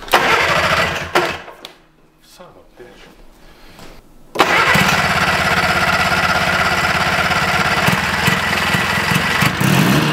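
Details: 1974 Johnson 440 two-stroke snowmobile, first start from salvage: brief sputters, then it catches about four seconds in and settles into a steady, even run; a high-friction machine that drags itself along; normal first start and idle.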